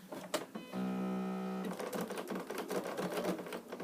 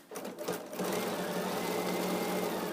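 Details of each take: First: Sewing machine stitching a few forward stitches down a seam: even motor hum then a rougher clatter, which the sewer recognises by sound as the bobbin not inserted properly; confirmed on removal and reseated. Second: Sewing machine stitching seams after the bobbin, previously incorrectly inserted, was pulled and reseated: quick, even needle chatter with steady motor hum in a small room; stitches smoothly, normal stitching.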